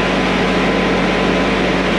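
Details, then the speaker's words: Laser screed on a 90-yard concrete pour, its vibrator working cream to the top: steady low hum with constant mid tone over engine drone, even and unbroken; normal vibrator operation. "Screed's also got a vibrator on it. You guys can maybe hear that. Also helps kind of work that cream up to the top."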